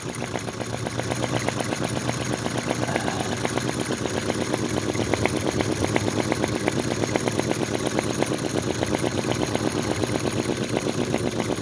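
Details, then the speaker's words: Unbranded 90-degree V-twin vacuum (flame-licker) model engine: fast, even soft puffing clicks, running smoothly but slow for this engine. Speed depends on flame size and its proximity to the intake; normal running. "now that's um slow for this engine I can get it running much faster it possibly will start to run a bit faster as that"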